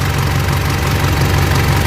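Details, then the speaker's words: Mitsubishi L200 Triton 3.2 diesel at working temperature, idling: fast fine metallic chatter over the clatter; timing chain knocking only once hot, mechanic says from chain expansion; chain kit to be replaced. "tá vendo? Agora a corrente de comando tá batendo. Ó o barulho."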